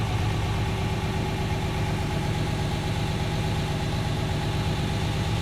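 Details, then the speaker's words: 1969 Mercedes-Benz 280SE (W108), after idle adjustment and a drive, not fully warm, new radiator: steady, even low idle with no knocks, misses or hunting; owner says idle speed is about perfect. "I think that's a good idle speed too. Can you hear? I think that's about perfect."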